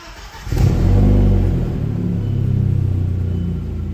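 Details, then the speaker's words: B5 Audi turbo petrol engine starting right after fitting 2.0 coil packs; it cranks, catches and idles with a rough puffing pulse from an exhaust leak, and the idle was later smoother. "nervous I can hear that exhaust leak oh my God all right it's running"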